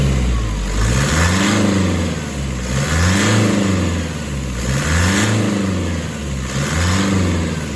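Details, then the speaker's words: Diesel with a new engine and a newly fitted turbo, light revs after start-up: smooth, even revs rising and falling about every two seconds, no whine or miss; sounds healthy, a big improvement. "RS oh doesn't that sound better absolutely beautiful"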